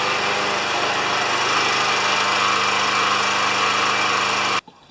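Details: Briggs & Stratton 7.25 HP mower that wouldn't restart when hot, after an ignition coil replacement: steady even high-pitched buzz with no misses or surging for over four seconds, then a clean shutoff; normal running.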